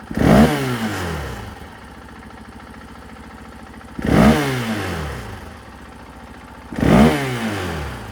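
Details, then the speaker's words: 2024 KTM 500 XW-F after fitting a Vortex ECU (stock it bogged and flamed out): three sharp throttle blips from idle, revs climb and drop cleanly with no hesitation; crisp, healthy throttle response. "well you can see in here now that it's very responsive"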